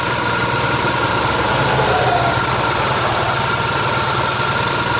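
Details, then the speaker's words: Ural motorcycle with sidecar, family touring load, engine hot after riding, cool cloudy weather: uneven idle with a faint irregular knock about three per second; owner suspects a bent pushrod or valve clearance, to check once fully cooled. "надо будет когда полностью остынет двигатель проверить все таки зазоры на клапанах возможно эта кривая штанга"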